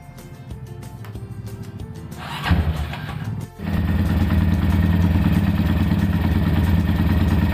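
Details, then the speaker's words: Honda Tiger / MP / GL motorcycle after repair of rough-running engine: after a blip and dip, the single settles into an even steady beat about three a second, no top-end clatter; now smooth. "berarti ini udah beres suaranya juga udah halus"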